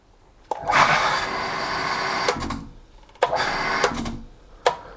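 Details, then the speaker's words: Booster pump set with bladder tank, pressure switch and gauge, should cut out near 4 bar and cut in near 2 bar. Pump hums about two seconds and clicks off, then only clicks and brief surges with no restart; pressure switch fails to cut in, declared dead. "là, vous avez vu, le deuxième clic n'a pas enclenché. Donc je le refais. Et là, il n'a pas enclenché encore."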